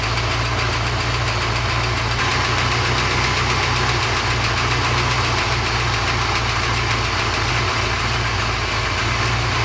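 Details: Porsche 928 after oil pump work: steady, even idle with constant low rumble, no whine. Normal idle.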